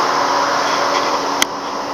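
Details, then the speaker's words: 2003 Mercedes C240 just after start: loud, steady turbine-like rushing whoosh as the radiator cooling fan runs constantly on high; blamed on a bad ECM, with the mass airflow sensor to be checked first. "so the vehicle started go here the cooling fan you can hear it I mean this thing is just very loud"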